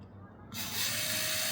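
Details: Rivian rear brake pad/rotor job: parking brake caliper motor powered directly, unscrewing to retract the piston; small motor spins up to steady high even-pitched whir; retracting normally.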